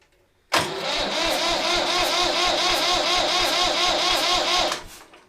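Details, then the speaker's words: Massey Ferguson 35X tractor, first start attempt in neutral after new cables, injectors, filters and a cleaned, bled fuel system; steady starter churn with no firing and no smoke. Crank, no start; air suspected still in the fuel system. "we're going to go for the star right here it goes then let's see what happens no smoke yet still a bit of air in the"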